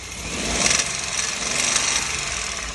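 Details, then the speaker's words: Hyundai HB20 three-cylinder, two quick revs: harsh metallic rasp swelling with revs, pistons scuffing cylinder liners after severe overheating shrank them; not the usual timing-chain tensioner noise, engine must come out for machine-shop rebuild. "Esse barulho é o o pistão rajando na camisa ali do do cilindro ali, entendeu? Geralmente quando o carro pega um aquecimento muito forte, o pistão ali diminui e fica acontecendo essas rajadas aqui."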